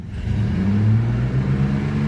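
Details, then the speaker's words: Chevy 4.3L Vortec V6 in an S10 truck with 274,000 miles, new distributor, previously an erratic misfire getting worse over six months; under acceleration the engine note climbs smoothly with no miss, now running clean; owner notes low oil pressure. "Oh, look at that. Now, it would it would miss doing that. That runs clean."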